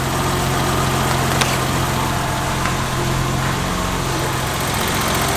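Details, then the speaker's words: 1990 BMW E30 325i, first start after maintenance, cold start: smooth, even idle with steady low hum and no hunting; earlier idle surge gone, thought to be helped by new distributor cap and rotor and intake tract cleaning; normal idle. "Yeah, engine sounds fantastic. Before the idle surge was vroom, vroom, vroom, vroom. And I think replacing that cap and rotor, as well as cleaning out the intake track, really helped that. Oh, it sounds good."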